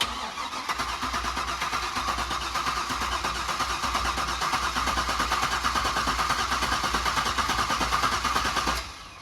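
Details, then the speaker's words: Supercharged C5 Corvette Z06, revived after over three years in storage with an installed BCM/key module: steady starter cranking about three turns a second for nine seconds, never catching; injectors not firing, suspected BCM-key communication fault, VATS off. "có vẻ như vì bất kỳ lý do gì mà kim phun nhiên liệu không hoạt động, có thể có lỗi giao tiếp với tổ hợp phím BCM mà chúng tôi đã cài đặt"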